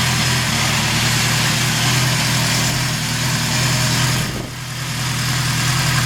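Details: 1974 Honda CB750 four-cylinder SOHC with about 250,000 km, four carbs, owned about 20 years; steady, even idle with no knocks or misses and a smooth exhaust beat, a healthy running engine.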